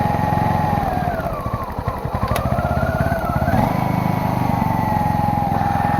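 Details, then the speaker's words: Old single-cylinder generator engine, long stored, started with choke sprung on; putter wanders up and down, sagging and recovering, bogging and won't idle. Owner suspects choke, missing air filter or rich running. Bogging and poor idle. "i will start it the choke is springed to the on position so it's kind of bogging because of that"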